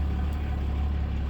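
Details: Diesel engine idling just after an oil and fuel filter change, started after fuel pump priming: an even, deep rumble with a steady low beat and no misses or knocks, and no leaks found. Normal idle.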